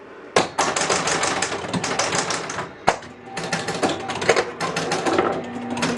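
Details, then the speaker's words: 1967 Bally Joust electromechanical pinball, burnt coil just replaced, game started: rapid relay and stepper clatter with a steady low buzz from a kicker coil stuck energized, the cause of the original burnout, traced to a contact. "But you can hear we got something stuck on the playfield. And that was this kicker, you see? See how he's stuck on? That's why he burned up."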